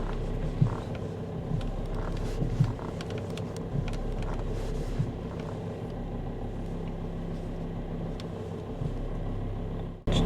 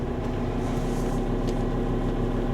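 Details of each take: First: After adding a power steering additive, then driving about 15–20 km back to the garage: steady idle rumble with light creaks, no power steering pump whine even at full steering lock; whine previously persisted despite fluid changes. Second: Car engine idling with a constant low whining hum from the power steering pump when turning the wheel; persisted after two fluid changes with flushing; owner then tried a power steering additive.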